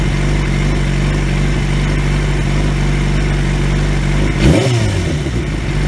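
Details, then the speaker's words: 2003 Yamaha YZF-R6 after replacing ignition coils that left it running on two cylinders, exhaust dented; smooth even idle, then one clean quick rev blip settling back, all cylinders firing properly. "so I'm happy it's fixed now the bike sounds much better even though my exhaust is still dented in because I'm an idiot but that's besides the point overall she sounds good though"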